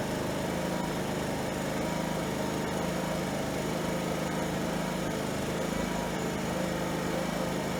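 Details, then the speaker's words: Fugi Micro inverter generator after repairing the recoil, valves, compression release, primer, fuel, carburetor pilot jet and plug boot. Its small single-cylinder engine now runs with a steady, even buzz, no misses or surging, and makes power. "now bad sounds good runs good makes power"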